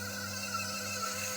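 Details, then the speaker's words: Hatari stand fan before repair on speed 1: runs slowly and hums steadily under a thin, whiny squeal from a worn front bearing; the capacitor had degraded from 3.5 µF to 1.9 µF. "หมุนช้ามีเสียงดังด้วยนะมีเสียงดังอี๊ดด้วยนะ"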